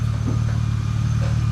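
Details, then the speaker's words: 1999 BMW E36 328i after replacing the pulley, AC belt and hydraulic AC belt tensioner: deep, steady idle hum with an even pulse and no ticks or belt squeal. Normal idle. "let's give it a start car is running good huh running it's running good sounds"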